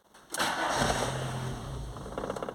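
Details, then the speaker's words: VW Gol/Saveiro cold morning start with the original faulty coolant temperature sensor connected: starter cranks, engine catches, runs roughly about two seconds, then dies; stalling and misfire on acceleration caused by the bad sensor. "mesmo assim ó ele pegou morreu tá vendo pegou ou morreu"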